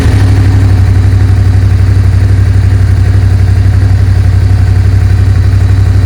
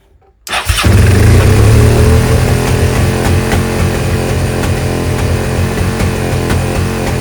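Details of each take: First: Suzuki SV650S V-twin after carb cleaning and carb sync, airbox refitted: deep, even beat holding steady, no popping, banging or hanging revs; carbs nicely tuned, throttle response good. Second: Suzuki SV650S V-twin, carbs just synced: fast steady idle that never drops back, reaching about 7,000 rpm even with idle screw backed out; vacuum leak.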